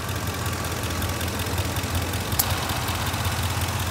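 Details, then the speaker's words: Car idling with A/C on full cold in 90-degree heat; A/C compressor clutch clicks, short cycling on and off, the common sign of low refrigerant charge. "That is the AC compressor. It keeps cycling on and off. An AC compressor has a short cycle time like that and it keeps going on and off, on and off."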